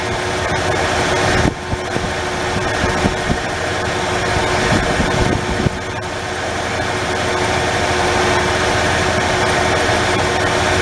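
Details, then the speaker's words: 1994 Ford F-150 with the 4.9L engine: rough idle with brief dips as a cylinder drops out, and the ignition scope shows periods of no spark; the cause is unconfirmed, possibly in the ignition primary; intermittent misfire at idle. "There's a time during this period, it's a 30-second period, that get no spark. That's your miss."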